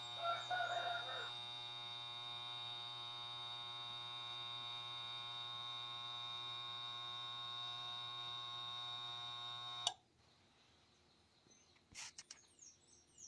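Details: Refrigerator that won't start: the compressor motor drones with a steady electrical hum for about ten seconds, then cuts off without running up; a shorted winding or worn motor bushing is suspected, and the fix given is replacing the compressor.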